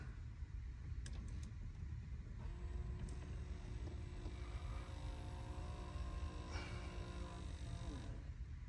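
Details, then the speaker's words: 2007 Mitsubishi Galant Ralliart 3.8 L (6G75) with newly installed hot/cold blend door actuator, moved to hot: faint even electric motor hum runs about five seconds and stops cleanly; normal operation. "perfect and now we're gonna move the cold here we go oh look at that that's beautiful yep doesn't go anymore that is perfection"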